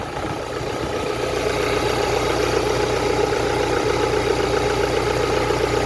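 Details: Ford Transit Connect diesel, previously ticking with smoke clouds: steady, even idle with no ticking or tapping riding over it; engine sounds smooth and healthy.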